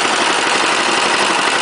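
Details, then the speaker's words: 418cc Chinese direct-injected single-cylinder diesel temporarily mounted on a snow thrower, first runs, started with the decompressor: fast, even diesel clatter at a steady idle with no misses; it starts well, likely helped by warmer air. "oh it actually starts pretty good when it's warmer I suspect"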